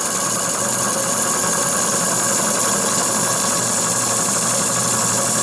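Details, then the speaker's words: Small RC steam engine (FBI 2) on restored boiler, superheater pipe replaced by straight pipe, endurance test: fast, hissing chuff about four beats a second, lumpy and uneven, won't self-start one direction; valve timing off on that side, runs "like a potato". "Il n'y a pas de mystère. Il n'est pas bien calé de ce côté-là. Puisque si je l'aide, voilà, il bouge quand même. Ah vous voyez, il marche quand même. Mais il tourne comme une patate."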